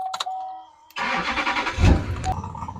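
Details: 450k-mile Duramax dually diesel restarted after retightening a loose, dripping fuel filter; a short pause, then it catches quickly and settles to an even idle with no stumble, a clean start, with a tiny drip still noted.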